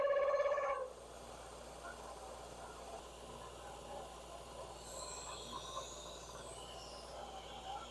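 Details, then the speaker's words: Cincinnati milling machine cutting custom tee nuts, non-climb cut: loud steady howl/squeal when table feed pauses and end mill rubs on the side, then softer uneven cutting noise. "you'll hear some squealing in this segment and uh that's basically just where I was trying to both move the table and deal with the camera and at times I'd pause in the movement of the table and then the uh endmill would start rubbing on the side and start howling"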